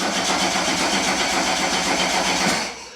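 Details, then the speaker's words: Type 19 VW Golf GTI 2.0 8V on a new standalone ECU, cranked with the coil unplugged after a dead battery: a fast, even starter churn of about four beats a second with no firing. The ECU confirms a crank signal. "we've seen a crank signal, guys."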